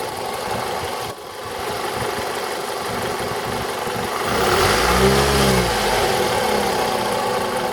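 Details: 2002 Toyota RAV4 engine: even ticking knock about three to four per second at idle, rising as revs climb; top-end engine knock, owner suspects the VVT-i coupling, unconfirmed.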